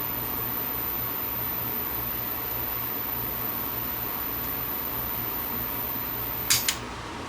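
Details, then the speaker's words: Vintage Marantz-designed Superscope C202LP two-speed mono cassette recorder during overhaul, running in play; steady motor hum, then a sharp click as the catch trips when the reel stops turning and the drive shuts off; auto-stop works normally. "But when the tape stops turning, it flicks that little catch and then shuts it off on play."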